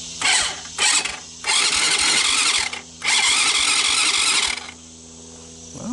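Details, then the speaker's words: 2006 Baja Wilderness Trail 90cc ATV cranking after battery and wiring fixes: four starter bursts with a steady chuffing beat showing good compression, but no start. Tank empty with stale-smelling fuel; carburetor likely needs cleaning. "around around we go and sound like there's a load of compression there but i got some huffing and puffing that's a good sign"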